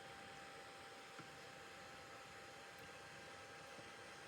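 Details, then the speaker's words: Small seven-blade computer fan, measured around 6800 to 7000 RPM with a DIY tachometer. Steady airy rush with clean, constant mid-pitched tone; even and healthy. "so the speed is around 6800 to up to 7,000 you just have to find the right position because there's not much room to read it now it's okay see so that's the speed"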